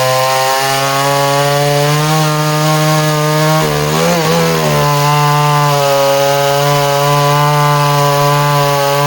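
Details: Danarm 36 "hot rod" chainsaw with stainless steel exhaust, cutting wood: high steady buzz dips as chain bites and recovers cleanly; intermittent off-load misfire disappears under load, pulls strongly.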